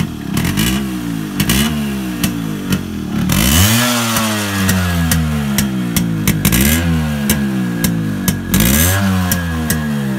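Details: Yamaha RX100 two-stroke after a hard morning cold start following heavy rain: crackly note blipping up and settling back repeatedly, catching cleanly each time; running fine once it fires.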